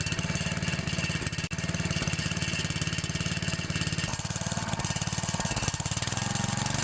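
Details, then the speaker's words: 9 HP Tecumseh Snowking engine, first test run after connecting rod replacement, new plug and fresh oil, outdoors: small single-cylinder putters at steady even beat, no knocking or rattle; running smoothly. "this will actually be the first test run with it with the new connecting rod in it well there she goes"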